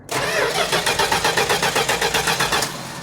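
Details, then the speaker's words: 1969 Plymouth Road Runner parked for decades, ran then cut out: steady cranking about four beats a second with no catch; suspected electrical, an ignition connector, which restarted it when wiggled. "And it just shut off. I think that's fuel though. No. It's electrical, man. It's electrical. I think it's that connector, man."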